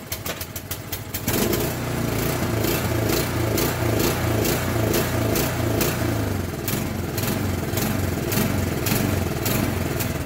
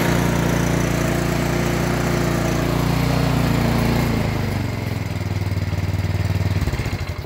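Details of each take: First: Craftsman or Yard Machines snow blower with a Powermore engine and Huayi carburetor, before an ultrasonic carburetor cleaning and rebuild; lumpy running with speed swelling and sagging, bad surging from a gummed carburetor. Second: Yard Machines MTD snow blower with a Powermore engine that had the same surge or no-start fault, fixed by cleaning the Huayi carburetor: small single-cylinder engine runs at steady speed with no hunting or surging, then winds down evenly at shutoff, healthy.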